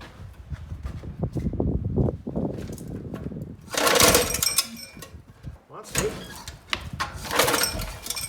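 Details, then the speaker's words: Alaska cabin generator: several cranking bursts each catching with a brief sputter then dying; cranks but will not start. "greg and i look at the world differently he interprets that sound as wanting to whereas i hear it as a failed death rattle"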